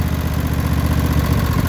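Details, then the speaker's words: Briggs & Stratton Intek V-twin, cold morning below 70°F, on choke; being checked for valve lash, previously barely idling and coughing. Low, steady throb with even pulses and no valve tapping; idling cold but smoothly. "still cold you got to run these things and choke for a while when they're cold"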